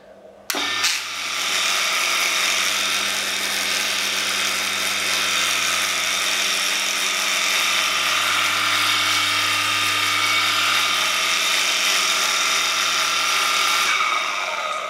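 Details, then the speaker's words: Water (well) pump with air in the inlet pipe, running without discharge: steady high-pitched motor whine with light rattly hum and no water slosh; air in the vacuum chamber, pump air-locked; fix is removing the plug and filling with water while running. "So there you go, this is the problem so the water is not being pumped out the reason is there's air inside this vacuum place or vacuum chamber over here"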